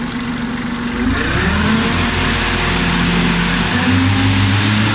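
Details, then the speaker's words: Kubota tractor with finishing mower, PTO engaged via clutch and lever, rev lever wound up to PTO 540: engine steps up from low idle to a higher, steady throttle, holding even with no misses; normal working speed at PTO 540 rpm. "And then to actually operate it at the correct speed, you want it to say PTO 540. So you wind your rev lever up to 540"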